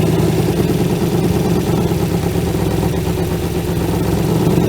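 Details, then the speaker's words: 1956 Ford Customline V8 292 Thunderbird engine with Holley four-barrel teapot carburetor, off the road since 1971, on temporary fuel supply; catches at once, runs rough and lumpy, then dies; owner suspects clogged carb passages, fuel leaking, choke misadjusted. "fire right off and then died but that was pretty impressive nonetheless maybe it needs to get warmed up"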